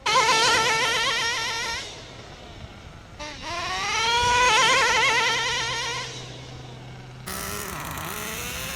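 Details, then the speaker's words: Redcat Earthquake 3.5 nitro RC monster truck on factory needle settings, head not yet warm, driven through the shift to second gear: a high-pitched buzz that rises and falls with throttle and bogs at low speed; the low-speed needle is suspected still off. "drove pretty good at shift at the second gear didn't bog down that much other than when it was in low speeds that's a good indicator that our low speed Edel still a little bit off"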